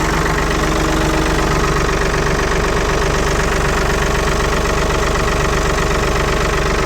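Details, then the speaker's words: 1975 Ford 550 backhoe "Big Mo" just after a cold start following repair, in neutral, hydraulics not yet loaded; the old diesel gives an even idle, steady low thrum of about four pulses a second; normal idle. "watch one thing this thing fires up like a banshee"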